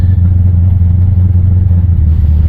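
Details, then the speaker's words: Finished one-tonner tray ute build, engine warmed up and driving: a deep, even low rumble with no knocks or rattles. It sounds tough and healthy. "certainly sounds tough I'm not sure whether you can hear it in here"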